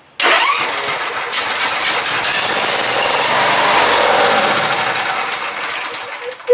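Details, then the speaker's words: MTD race-mower build, engine started on starting fluid with the starter jumped from the battery: fires almost at once, steady even run, then fades; engine starts and runs fine. "all right we got us a runner sounds like it runs pretty good"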